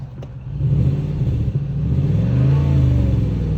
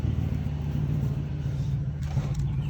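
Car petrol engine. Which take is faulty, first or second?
second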